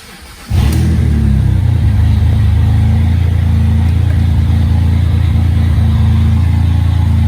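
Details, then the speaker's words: 2007 BMW E86 Z4 3.0si Coupé started with stock exhaust removed, running straight off headers and cats, in neutral; loud deep bassy rumble at low rpm like an old tractor or straight six; loud exhaust with mufflers removed. "that actually sounds quite similar to the way it did before only a lot bassier a lot deeper it sounds um i know this is probably gonna sound bad but actually sounds a bit like a tractor"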